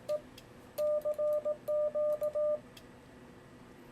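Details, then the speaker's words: Yaesu FTdx10 in CW: Morse sidetone in short bursts; the break-in relay clicks in, then releases about a fifth of a second after sending stops, with break-in delay set to 200. "now you can hear it it releases a little bit quicker"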